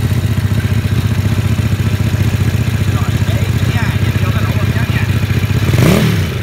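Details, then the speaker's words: Vietnamese-built mini Ducati-style L-twin motorcycle, started after fitting the tank and exhaust, with the oil pump being checked. Even, lumpy twin idle with one clean blip and no clatter: the engine sounds healthy. "Rồi, giờ sẽ tiến hành khởi động nổ máy lại để cho các bạn nghe tiếng máy cũng như là kiểm tra cái bơm nhớt."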